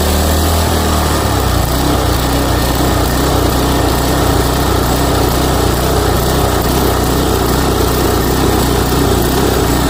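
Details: Toro Timemaster mower after blade spindle shaft, spacer and bearing replacement, smoke burning spilled oil off the exhaust. Steady, even drone with a regular firing beat and no knock, squeal or grind. Normal running after repair.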